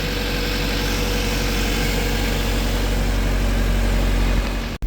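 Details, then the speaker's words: Mini with Honda B16A2 VTEC engine, just after the fuel filter was changed because it ran rough: steady, even idle with a smooth low beat, no hunting or stumbling, then a clean cut-off; healthy running. "so happy out the car's running I'm going to let it warm up give it a red make sure it's not all splutter"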